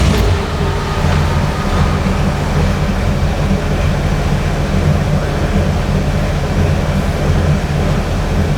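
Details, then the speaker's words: 1950 Ford Custom Deluxe with 302 V8, block hugger headers, dual exhaust with Cherry Bomb mufflers and chrome tips; deep, steady burble at idle, even low thump, no knocks or misses. Normal healthy V8 idle. "We'll fire that motor up, let you hear what that 302 motor sounds like."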